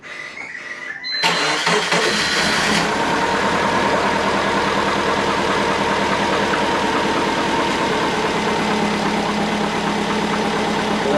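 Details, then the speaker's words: Twin-turbo Subaru Forester started cold with the bonnet up, owner notes it dislikes moving unwarmed and the tune is a little off: cranks, catches, fast slightly uneven raspy cold idle; rough idle after cold start. "start it up, warm it up, because it doesn't like to move not being warmed up. Tune's a little bit off at the moment."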